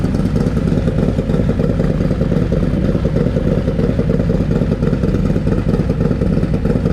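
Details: Harley M8 Lowrider S with Screamin' Eagle 131ci Stage IV kit, first start after swapping the SE 517 cam for a Cycle-Rama 512, not yet warmed up: deep V-twin lope about three beats a second, crisp and healthy; normal idle.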